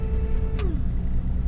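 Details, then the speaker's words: 1949 Dodge, owner-fitted 6V electric washer system switched on with no water: a thin steady electric whine that clicks off and slides down in pitch, no fluid sound; pump running dry, owner suspects jets blocked from inactivity. "I can hear it going but there's no water coming out at the moment I think the Jet's probably blocked up from it hasn't been from in uh inactive use so we'll check that in a minute"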